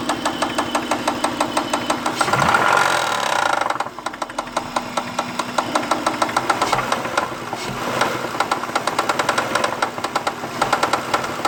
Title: Acura 2001 ticking noise (help)